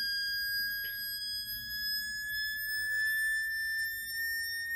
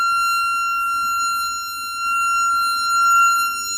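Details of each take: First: Jensen V21 upper driver bench-tested on a Leslie 21/22 test station with a 22H amp: a clean pure tone sweeping slowly upward over ten seconds with no buzz or rattle; the driver sounds good. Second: Jensen V21 upper driver bench-tested on a Leslie 22H amp while the test note is changed: steady test tone with a buzzy edge and shifting level, the speaker rattling at this note.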